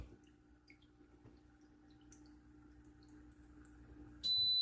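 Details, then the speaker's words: Autoaqua Smart Level Security test in a second-floor aquarium sump: U-tube pulled to break the siphon, pump keeps running, water rises over the sensor, loud steady high-pitched beep sounds and the pump shuts off; high water level alarm, 5-minute reset. "Did you hear it? Turned it off."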